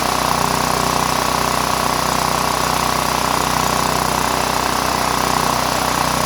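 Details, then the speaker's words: Power Mate VX generator after carburetor and fuel bowl solenoid cleaning, switch turned on, running on fuel probably about eight years old: steady, even engine note at constant speed, no misses or surging. "all right that's it guys better run it probably has fuel from uh eight years ago"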